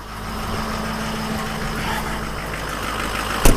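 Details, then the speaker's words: 2004 Ford F-250 diesel, started with a jumper box after sitting for days, idling after a new BulletProof Diesel FICM power supply fixed a crank-no-start from low FICM voltage. Low, smooth rumble, no misses or knocks. Normal. "so I ordered a new power supply from bulletproof diesel out of Mesa Arizona and I put it in and my truck crank cranked up so right now I'm pretty happy"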